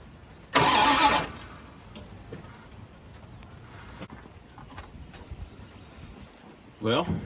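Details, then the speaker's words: 1989 Dodge three-quarter-ton truck, sat a long time, upper cylinder lubricant added, bumped starter: short burst, engine spins over freely and smoothly, compression seems good. "you saw there she spun right over sounds good too it cranks real smoothly like compression's pretty good"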